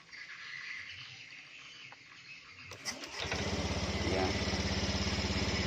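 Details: Honda Beat eSP scooter after repairing and rejoining faulty wiring, owner noting the CKP circuit: quiet at first, then the small engine catches within a second and settles into a steady, even idle. Normal start.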